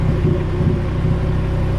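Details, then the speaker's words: Honda Civic with Rev9 eBay turbo kit on dyno, low-quality RC injectors, 20° timing at 8 psi, idle duty adjusted: low idle with uneven wandering beat and occasional stumbles; rough idle blamed on the injectors. "they just don't idle and as smoothly as like a good injector"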